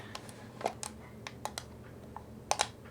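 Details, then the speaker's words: Voigtlander Vitessa 35mm camera with a sticky film spool, rewinding at the end of a roll: irregular dry clicks and heavier clunks with no smooth winding. The rewind stuck, and the film was found snagged and shredded. "okay it's stuck hopefully that means it's just stuck on the roll"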